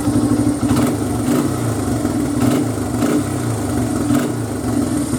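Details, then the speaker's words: 2002 Honda XR100R single, fully warmed idle after timing chain tensioner adjustment: steady even low beat, no ticking, crisp throttle response; healthy. "everything sounds great runs great there's no uh there's no ticking sounds it sounds perfect and the throttle response is awesome so and it's all warmed up i don't see any problems with this at all"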